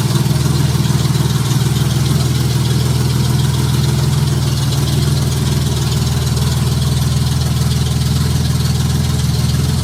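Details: Junkyard Honda J35 V6 with 183,000 miles in a Baja, start on AEM Infinity ECU, warming up at idle: steady low rumble about four pulses a second, no knocking or valve tick, good oil pressure; healthy.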